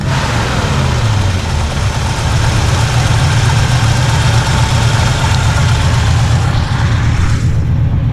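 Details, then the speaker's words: 1967 Chevrolet Impala 283 V8, just restarted after new starter: loud lumpy idle with uneven chuff, popping through the intake/carb. Suspected intake valve not sealing completely, possibly rusted seat or gummed stem; otherwise no valve noise. "oh girl sounds good at the exhaust but that popping through the intake that's showing it's got a stuck intake valve or an intake valve but this is sealing completely"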